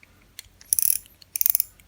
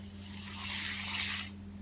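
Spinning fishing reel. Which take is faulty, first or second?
second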